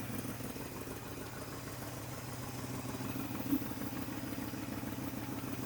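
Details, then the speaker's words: 1973 International 1110 4x4 pickup, first start after being pulled out of the weeds: an even V8 idle with a faint, steady puffing tick in time with firing. Exhaust leak at the donut, which appears cracked. "Oh yeah, fires right up. Is an exhaust leak right here at this donut. That plant just cracked it appears."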